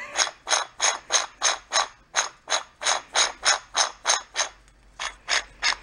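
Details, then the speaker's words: Trash-picked gas-engine-powered blender drive turned by hand: crunchy, rough ratcheting grind about three times a second, sometimes locking when turned backwards; lower bearing suspected rough. "yeah she's going around crunchy though [ __ ] if i go backwards it locks up sometimes"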